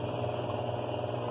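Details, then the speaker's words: Washing machine after repair (worn cam part and spring replaced; bearings also replaced): runs with a smooth, even low hum, no knocking or clunks; the loud noise it used to make as the spin stopped is gone. "E ela fazia um barulhão quando ela terminar para de centrifugar ela fazia um barulho antes de parar ela fazia o barulho e agora ela não tá mais fazendo isso barulho ela está funcionando direitinho"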